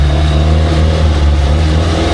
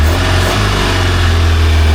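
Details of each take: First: Engine of a free, long-neglected Baretta boat, dirty carburettor: revs strongly and runs fairly well with a faint light ping under load; carb needs more fuel; charging almost 14 volts. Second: Engine of a free, long-neglected Baretta boat, running after a hard fight and crank-stop cycles to clear it: steady, strong low drone with even firing and no knocks or misses; quiet and healthy.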